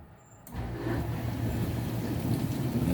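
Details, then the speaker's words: Whirlpool dishwasher rescued from scrap after a won't-drain fault, filled with water: after a short quiet spell a steady, even low wash-pump hum holds without surging or rattling; strong pump, running normally. "there's the wash that's a strong pump i can hear it it's good"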